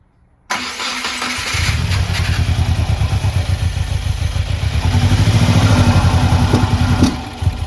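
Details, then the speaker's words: Subaru WRX FA20DIT engine just after rebuild: catches then runs lumpy and uneven with irregular chuffs and sharp intake pops, never seen before; badly misfiring, cause unknown. "hmm okay yeah something's definitely not happy all right well we have done our work for today we are happy now it does seem a little more unhappy and what's very interesting is we're getting pops in the intake now and we never had that before"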